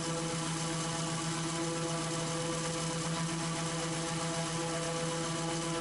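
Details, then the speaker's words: Raptor prototype aircraft engine with working prop governor: steady drone with no hunting or surging while gauge jumps; governor loading prop to hold about 3100 rpm, down from 3300; normal governed speed. "so even though that gage is jumping around you can actually hear that the engine is fairly consistently set to about 3100 rpm"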